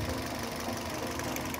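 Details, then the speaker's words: Toyota Yaris idling rough and misfiring, coil number 1 lifted during a one-by-one coil test: light quick tek-tek snapping and the engine shakes more, so coil 1 still sparks and works. "ini bunyi tek tek tek tek berarti dia masih ada apinya dia menghasilkan api dan juga terlihat ketika kita lepas mesin semakin bergetar ini berarti koil masih hidup ya"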